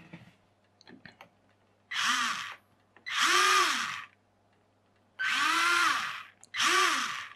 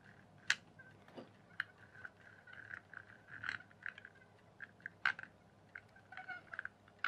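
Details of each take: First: RC rock crawler with a resin-moulded universal joint, reassembled after realigning a slipped plastic shaft bearing: four short motor runs, each whirring up and down smoothly with no grinding or clicking; the drivetrain turns freely. Normal running. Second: RC rock crawler (Devils Monster) axle turned by hand after fitting a resin-moulded replacement universal joint: scattered sharp clicks, suspected missing or misaligned gear tooth, cause unconfirmed.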